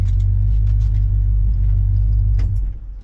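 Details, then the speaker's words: 1969 Plymouth Fury III V8 driving on the road after changes advised by Holley tech support to address fuel starvation issues: deep, even rumble under road noise with no stumble or surging; running smoothly. "It's still running. It's still running. I think we got it. I think we got it. Ah, sounds good. Runs good."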